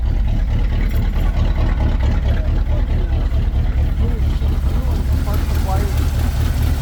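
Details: Chevy 350 V8 square body truck after quick fuel line replacement (new hoses had been squirting fuel, no start): deep, steady low rumble at even idle with no misses or knocks; normal smooth idle.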